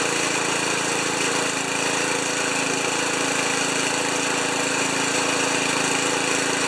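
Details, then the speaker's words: Ariens 2+2 snowblower small single after cleaning the carb jet and squirting fluid into the idle, at three-quarter throttle: steady fast even buzzy beat, no misses, running properly. "yes it's gonna start it's going to smoke a little bit we got three quarters two three-quarter throttle a little bit of this a little bit of that"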